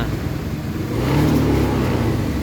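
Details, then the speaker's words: Honda BeAT FI scooter with smooth starter sags and stumbles instead of revving and dies when throttle is opened fully; severe misfiring, engine bogging on throttle opening, attributed to low fuel pump pressure. "Ya dia nggak mau kalau misalkan tuas gasnya dipulih sampai mentok malah dia mati motornya"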